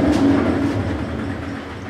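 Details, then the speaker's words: GE washer, said to have a bad transmission (also called a bad bearing): heavy rolling rumble with a repeating clack that fades as the drum slows; worn drive fault in the transmission or bearing, not confirmed. "What I have for you is I have a General Electric washer that has a bad bearing, and this is what it sounds like."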